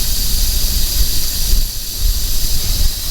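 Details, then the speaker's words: Loaded flatbed semi truck at the Wyoming I-80 port of entry. There is a steady, loud, unrhythmic rushing hiss of escaping air from the leaking air dryer. It was later bypassed by joining the airlines so air flows straight to the tank. "You hear that noise? That's my air dryer is leaking."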